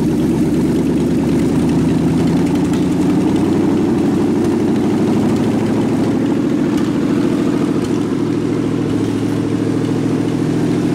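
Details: Rat rod truck idling with a York AC compressor converted to a belt-driven air pump for an air-bag suspension, building tank pressure, switch set near 100 psi; steady smooth low-pulse idle, compressor humming without strain, normal.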